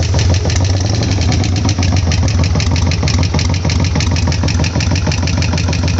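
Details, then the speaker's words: Harley-Davidson Sportster front cylinder after reassembly: a lumpy V-twin idle with a light knock about three per second. Owner suspects hydraulic lifters, or hopes an oil change fixes it. "я слышу лёгкое такое постукивание в переднем цилиндре но по идее это должно решаться сменой масла"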